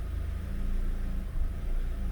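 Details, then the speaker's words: 2011 Chevy Aveo 1.6 4-cylinder Ecotec idling in drive: uneven, stumbling beat with a brief dip, an ignition misfire without check engine light, after P0300; the new coil was defective, causing a miss on cylinder 2. "and I don't know if you're going to be able to hear that on camera, but it is stumbling. It's like an ignition misfire, yet the check engine light is not on."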